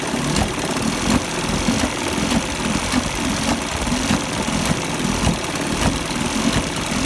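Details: 1973 Johnson 25 hp two-stroke outboard running rough: uneven burble with irregular lurching surges, roughly a hundred pulses a minute, from about 17 seconds to the end instead of holding steady; cause unknown.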